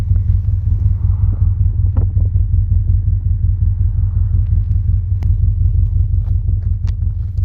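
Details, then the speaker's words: 2006 Subaru Forester EJ25 boxer, 5 speed, 260K miles, after head gasket and timing job, no leaks or check engine lights: deep, even burble at idle with a steady low pulse and no knocks or misses; normal idle. "And that rumble, man, that rumble is just beautiful. It's just beautiful right here. I'm saying, that rumble."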